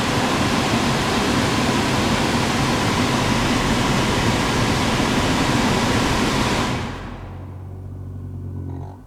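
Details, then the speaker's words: Lexus CT 200h cabin AC blower under passenger glove box, previously repaired, grumble returned after 6–8 months: steady rush at full speed, then low uneven grumble as fan winds down after switch-off; worn blower motor. "so we definitely get that grumble at the end there so what i've done is gone ahead and bought a new fan"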